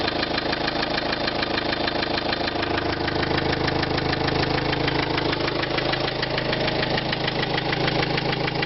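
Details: 2005 Renault Trafic 1.9 dCi diesel at idle; sharp, even knock roughly three per second over the clatter, owner asks what the knock could be, source not identified.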